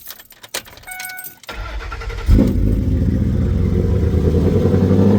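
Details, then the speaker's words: Cammed Ford F150 with MSD ignition coils, owner suspects remaining throttle-body vacuum leak. Cold start: crank and catch into loud, steady fast idle with lumpy cam beat, tune holds 30-second cold high idle then comes down: normal cold start high idle. "Now it's gonna do that. It's cold start. Now it's coming down now. It's in the tune. It's gotta have, for some reason for the Fords, they gotta have a 30-second. If it's cold, it's gotta have a 30-second cold start."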